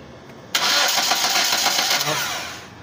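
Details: 2011 Kia Rio cranking with no ECU communication, no signal and no spark: about two seconds of even starter cranking fading without firing; turns over but won't start.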